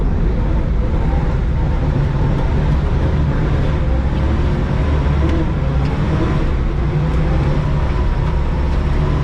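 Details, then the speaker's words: 1973 Monte Carlo V8 after sitting 22 years, running after new fuel lines from the hard line were fitted: deep, even rumble with no misses, knocks or surging; fired right up, normal running. "The Monte Carlo is running. Just needed uh new fuel lines from the hard line down there to the car and it just fired right up. Started running great."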